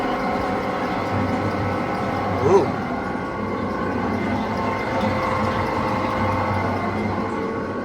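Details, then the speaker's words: Machine-shop hydraulic pump (Big Ber) started after refilling with fresh oil: steady whine with rough gravelly churn that never settles; cavitating because the hydraulic tank is low on fluid. "Sounds like it's cavitating to me. Huh? [Music] Oh, right. It it would appear that Big Ber needs some more uh hydraulic fluid in it in in his tank."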